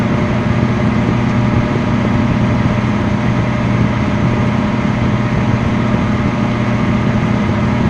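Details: Abnormally loud microwave: loud steady low hum with a buzzing drone under a rushing fan, unchanging throughout; cause unknown.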